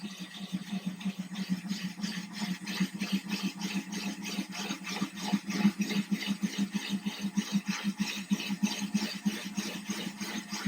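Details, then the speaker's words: Drilling a thin-glass 10-gallon aquarium with a Ryobi drill and diamond bit in a guide, using no pressure and keeping it wet to cool. There is a steady motor hum with a soft rhythmic grind about three times a second; the bit is cutting glass normally. "So again, just no pressure, nice and slow. You can hear the bit is grinding, it's doing the work."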